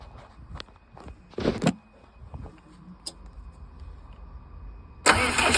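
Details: 60kW Kohler REOZJ generator on a mobile MRI/X-ray 18-wheeler; control board failed (no crank, relays just click), so fuel solenoid wired in and starter jumped. Quiet clicks and knocks, catches at about five seconds, settles into steady loud run; normal start.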